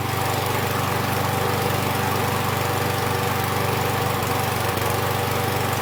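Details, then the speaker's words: Husqvarna 6021P Kohler mower engine after the part under the idle adjustment screw was removed and the idle screw adjusted. Steady low putt around 200 per minute with no surging; the owner notes it may also just have warmed up. "Actually sounded good. After a 30-second idling adjustment, that might have just been where it was warming up, but it sounded good."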